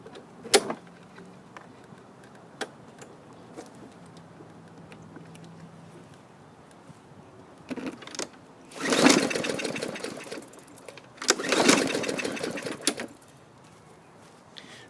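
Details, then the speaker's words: Mower: two quick rope pulls whir and die without firing; weak, kinked, taped safety brake cable not opening the linkage fully, ignition stays grounded; cable needs replacing. "so weak cable i see a kink here and somebody's got it taped up here so what happens you depress the bar it's not pulling the safety linkage open all the way"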